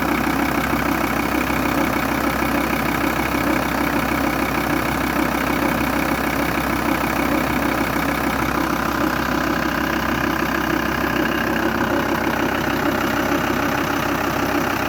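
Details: VW T4 2.5 TDI (AUF) diesel idling: steady ticking about three per second over the clatter; defective vacuum pump.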